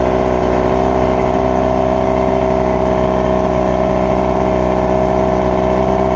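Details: All-original Mercury 1500 inline-six outboard with distributor ignition and high-dome direct-charge pistons, restored, just after link-and-sync with max spark timing about 19.5°: loud steady even running, no misfires or surging; normal.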